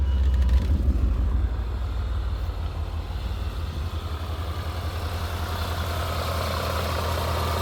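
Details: 2000 BMW M5 (E39) with 340k miles, several exhaust leaks around mufflers and resonator, just after startup: revs flare then settle into low, uneven stumbling idle; cold-start misfire, cause suspected not confirmed.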